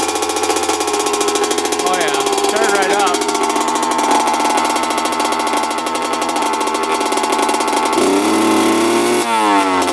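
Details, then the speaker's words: 2000 Honda CR125 two-stroke, original carb, first start at full throttle: buzzy revs climb unevenly and stall out, super boggy with heavy white smoke; owner suspects water in the fuel, cause not yet found. "all right that's smoking a ton looks like white smoke too wasn't clearing out super boggy um that was Full Throttle I was doing just puffing out a ton of white smoke"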